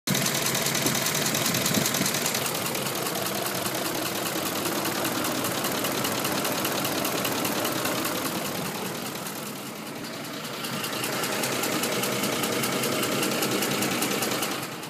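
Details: 2004 Ford F150 5.4 V8: fast top-end ticking knock, about two to three a second, worse when accelerating, plus typical cam phaser noise; VCT solenoids replaced the day before; owner suspects exhaust leak or cam phasers, unconfirmed.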